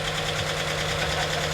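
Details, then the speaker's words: 2009 Dodge Challenger SRT8 V8 idling cold during a rebuild: quick light ticking puff over the rumble; suspected small exhaust leak, bolts to be snugged down once warm. "What's that sound? Sounds like we got a little bit of an exhaust leak on it."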